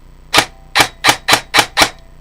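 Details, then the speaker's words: Customer's airsoft AEG rifle, brought in for low FPS and strange gearbox noises, on a 1000 motor backed off a quarter turn: six crisp single shots with no grinding or whine; gears barely audible, gear mesh sounds good. "Yeah, that sounds pretty good. Barely hear the gears, so I'm gonna run this in a little bit."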